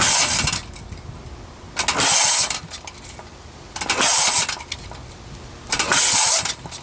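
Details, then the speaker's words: 1948 Briggs & Stratton WMB, first cold start after auction, choked, varnished bad gas smelled: catches in short ragged bursts about every two seconds then dies back; sputtering start. "sounds like wants to go there we go getting something still g wow you smell a varnish huh I think we got it I'm surprised to started you can smell the bad gas in there"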